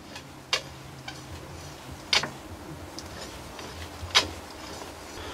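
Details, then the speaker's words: Spindle of a DIY CNC mill-lathe turning slowly: sharp snaps at one spot in each rotation, plus a squeaking belt that is not the main problem; the click grew louder during milling, and its cause is suspected, not confirmed. "oczywiście słychać jak Skrzypi pasek ale to nie jest głównym problemem przy pełnym obrocie często słychać takie strzelanie"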